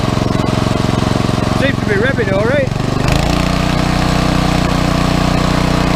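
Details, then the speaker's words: Pressure washer engine revving up and settling into a steady, even drone after carburetor cleaning: it had sat over a year with dried ethanol gas, a clogged bowl-screw jet and oil in the carburetor; it now runs clean. "Well, sounds like we're cooking with gas."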